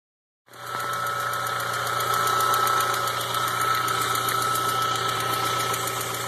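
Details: 2000 Volkswagen Jetta with AEG engine at idle: fast, fairly even ticking about three to four per second over smooth idle; recently appeared, source unknown.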